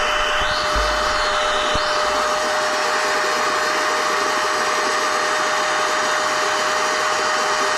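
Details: NovSight G5 6000A jump starter/tire inflator's built-in air pump, switched on and inflating an item until it is taut: steady high whirring blower, even drone, no surging or rattles; normal operation.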